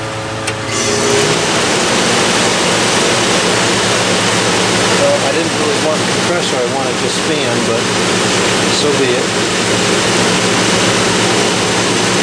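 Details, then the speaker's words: Vintage Westinghouse 5,000 BTU air conditioner, case installed, before thermostat replacement, compressor running with coils cooling faster: even fan rush over smooth compressor drone, no knocks or rattles; unit running normally. "It's getting cold. Got colder a lot faster this time now that the coils can actually transfer thermal energy efficiently."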